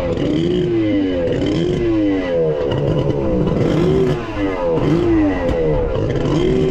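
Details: Kawasaki 1100 triple jet ski engine (X2) with freshly bored cylinders and a Zeeltronic CDI, on the water test: it won't rev, surging up then sagging and never pulling cleanly; it already sounded weird on the bench; ignition timing fault.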